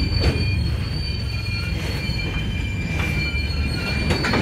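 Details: Union Pacific 6644 freight train leaving Mesa Yard: loud high squealing over deep rumble and clanks as cars move slowly; squeaking and clanging made it stop, cause not stated, later fixed.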